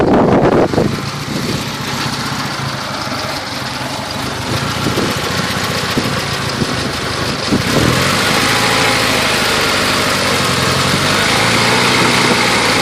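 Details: 1990 Talon at idle: light, fairly even tapping about four per second over the engine note, intermittent; owner suspects piston slap, cause not pinned down.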